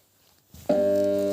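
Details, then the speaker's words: Small compressor: a steady, buzzing mains hum that never rises to running speed. The motor is stalled and can't turn, the compressor apparently seized with its grease gone bad from no proper lubrication. "i nie rusza buczy nie rusza nie zgniła smaru nie może się ruszyć"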